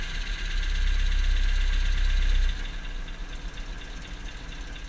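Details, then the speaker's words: 1974 Ford Courier, Mazda OHC four-cylinder, warming up to temperature before adjustment: fast, steady light ticking above the engine hum from the top end, rocker arms clacking on the cam; excessive valve lash. "it's just the top Bend those rocker arms hitting the cam every time it comes around there's too big of a gap there so it clacks and rattles"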